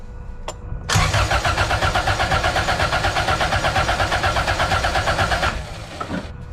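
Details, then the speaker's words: Honda CRX B20Z swap, compression test on cylinder four: strong even cranking pulses for about five seconds, no lazy beats; gauge reads about 208 psi; good normal compression. "cylinder number four holy cow 2110 you seeing that right it's like under 210 208 maybe that's pretty high"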